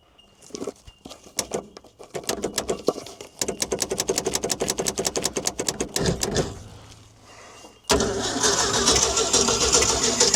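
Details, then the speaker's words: Old Ford D Series fire truck, petrol engine, first start after 16 years sitting: rapid uneven cranking with ragged pops and sputters, then it catches and runs rough, sneezing back through the intake; suspected stuck valve, misfiring. "She's got a valve stuck. She's having a sneeze out there, but she fires up, she might clear."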